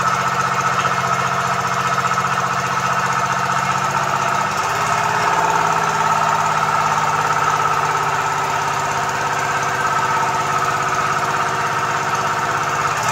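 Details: Komatsu PC-20 excavator, 3D84 diesel, with low power, black smoke and hard starting: rough, uneven idle with irregular knocking and a wavering beat; injectors not spraying properly.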